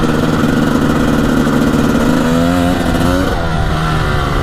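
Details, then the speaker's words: 1998 Honda CR250 two-stroke, first ride this year, on the road: crisp buzz climbing cleanly in pitch through the gears, no stumble or misfire, pulls strong; owner calls it super zippy; normal two-stroke acceleration. "I missed the 250. Oh, the 250 is so nice. Especially when you've been riding other bikes for a while. This thing is super zippy."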